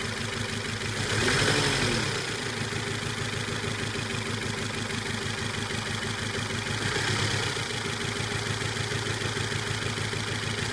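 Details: Volvo S40 with code P0303 (cylinder 3 misfire): lumpy, stumbling idle with periodic rev swells; compression test showed none on cylinder 4, where two valves had dropped.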